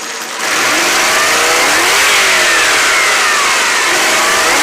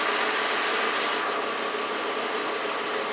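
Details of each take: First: 1992 Lexus LS400 after a coolant temp sensor replacement, coolant reading 203, idle 650 rpm, one O2 sensor not switching with one side rich and one lean, minor knocking; revs rise and fall with faint unevenness on the climbs; still hesitating slightly when revved. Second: 1992 Lexus LS400 after replacing the coolant temp sensor, having sat dead for months: smooth, even hum with steady rpm and no misses, a stable idle while warming up, though the scanner shows lean on both banks.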